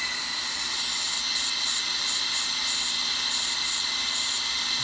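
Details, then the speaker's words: LBSC Tich model steam locomotive running on compressed air: steady high hiss with faint rhythmic puffs as wheels turn; pure air flowing out of the sniffer valve due to incorrect valve timing. "yeah it's this air pure air flowing out of the sniffer"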